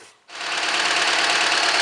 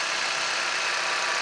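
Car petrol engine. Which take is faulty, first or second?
first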